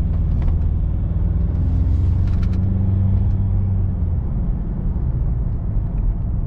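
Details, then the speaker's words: Inside the car at about 40–50 km/h and speeding up, with a wheelbarrow strapped on the roof and the straps given a half twist: only a low, steady road rumble with no flutter or hum. The straps are quiet. "we hit the 40 mark 50 mark and absolutely no noise whatsoever it's whisper quiet and i can't even tell that i've got a wheelbarrow on top"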